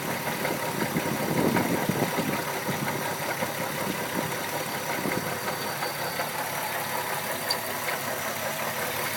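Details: VW MK4 12-valve VR6 at idle with irregular light knocking, roughly two or three a second, over a steady idle; cause unknown.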